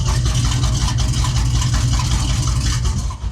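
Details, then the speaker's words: Engine idling after a Holley carburetor rebuild with new jets: loud, deep, lumpy, uneven idle with a little tick-tick-tick. Fuel pressure is holding; the rough-running cause is unconfirmed. "Still sounds pretty angry."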